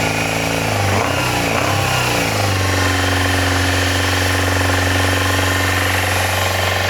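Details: Yamaha FZR400 four-cylinder after carb rebuild kit, new number 4 carb, battery and a little fuel: brief blip then smooth, even idle with steady tone, no misfires or stumbles; runs healthy.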